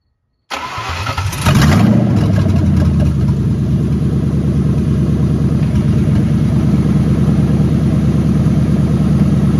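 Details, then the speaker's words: Ford Mustang GT, first start after engine harness swap, open exhaust manifolds with no mid-pipe or cats: quick crank catches within a second, flares, settles into a loud even V8 idle with no misfire or knock. "and so that was an instant success I'm very excited about that that turned out great"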